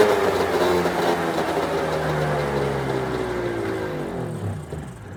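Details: 1996 Arctic Cat ZRT 600 two-stroke snowmobile after fuel pump rebuild and priming: steady buzz, then revs sag and drop away, running clean and even with no knocks; holding good after air bubbles, normal start and idle.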